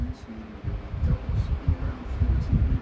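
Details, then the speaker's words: 1977 Galaxy desk fan, 0.8 A, on high speed: steady low hum with mild even throb from typical blade vibration, no rubbing or rattle; healthy motor and not out of balance, though oscillation has an issue. "And the balance is, I mean, there is a little bit of vibration, but I wouldn't say that it's out of balance. It's just typical vibration."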